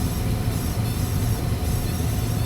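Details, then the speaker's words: Gas furnace after its failed control board was replaced with a Honeywell universal board: pilot lit, burner firing. Steady, even low roar with no popping or surging; normal burner operation, with the new board's LED flashing a code. "Let's turn on the gas. I see a pilot light. Oh, we got a burner. Excellent. Looks like we fixed it."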